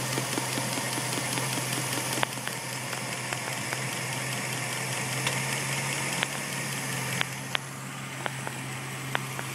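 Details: 2004 Jeep Overland with 4.7 L H.O. V8 idles slightly unevenly with occasional sharp taps (one from a driver-side fender vacuum line connection), suspected vacuum leak, but hoses were intact; the rough idle was fixed by replacing the catalytic converters.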